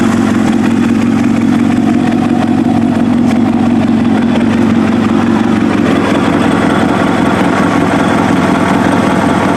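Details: Kawasaki ZX7R race bike on FCR41 flatslide carbs, fuel screws 1 turn out, tank refitted; even, steady four-cylinder idle with a slight rise and fall, about 1250 to 1500 rpm. Slight hunting, judged acceptable.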